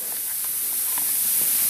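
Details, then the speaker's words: Silver-plated, Teflon-coated Tesla-style SPTC POE vortex coil under high voltage: steady high, airy hiss without rhythm, like escaping steam; corona discharge arcing between wires despite the insulation. "glowing magnificently with corona discharge high voltage voltage is surging through the conductor at fast rates generating a skin effect where the high voltage is literally on the surface of the wire creating an arc from one wire to the next"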